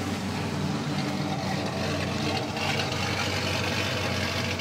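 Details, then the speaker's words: Dodge Rampage with suspected misfire and no misfire code; idle stumbles with irregular sputters and drops, worse when moving the car; coil packs and plug wires checked, plugs suspected; engine misfire. "I'm going to try to move the car a little bit and that's actually when she really starts acting up"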